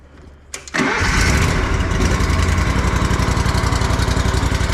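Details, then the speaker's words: Riding mower with 500 hours after valve lash adjustment (excessive lash had caused clanking and vibration), fluids checked, air filter cleaned: twin cranks and catches within a second, steady even beat, no valvetrain clanking; normal idle. "obviously that sounds a lot better guys no more loud clanking noises going [Applause] on"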